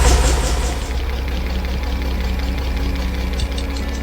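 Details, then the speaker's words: 50-year-old petrol engine of a 1975 Bedford truck after the choke was set properly: low, even, smooth engine roar with steady rhythm and no knocks or misses; runs healthy. "now that's much better it sounds so smooth it it is it's really nice [Music] hey that sounds very good everywhere"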